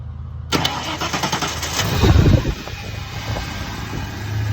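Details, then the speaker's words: 1992.5 Ford Mustang 5.0 LX: with key held in start only the fuel pump whines and nothing cranks; jumpering the starter solenoid relay contacts makes the starter crank briskly and the engine fire to idle, relay faulty. "Right here is your solenoid, or your Ford Please Steal Me device. You're gonna jumper across your contacts."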